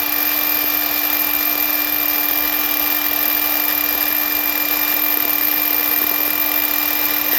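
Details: Ridgid 18V cordless miter saw R48607, new (fourth unit, all same issue): steady high whine with rough gritty grinding and faint rattles as it runs, from an oil-leaking arbor bearing that dumps more oil from the shroud once noise starts.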